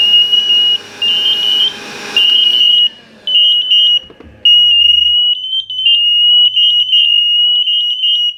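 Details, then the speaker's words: Interconnected Emerald smoke alarms, hardwired and wireless, set off by smoke in one unit: shrill beeps in repeating groups, three solid beeps from the triggered source alarm and double beeps from the linked units; vacuuming the source alarm clears it. "so there we go three solid beeps yep double bass"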